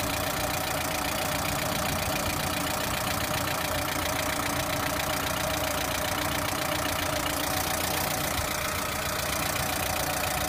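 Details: Lada Priora engine at idle: light, fairly regular tapping over the engine note; engine knock at idle, source unclear.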